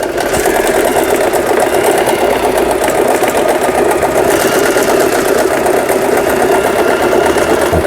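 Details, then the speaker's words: Elna 318 sewing machine after repair of its pattern/zigzag mechanism unit, which before gave straight stitch only; all functions now work: fast, even stitching clatter in a steady rhythm with no catches or grinding; sewing normally. "각종 기능들 정상적으로 작동되고 있는 엘라 재봉틀 수리를 마치고 318이라는 기계 수리를 마치고 박음질하는 영상이었습니다."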